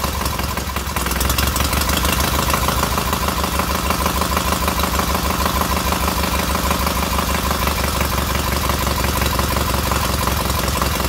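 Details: Freshly rebuilt K750 boxer twin on first start-up, after a minor ignition fault stopped an earlier attempt: steady, even idle at about three firings a second, both cylinders pulling evenly and heating equally; healthy normal idle.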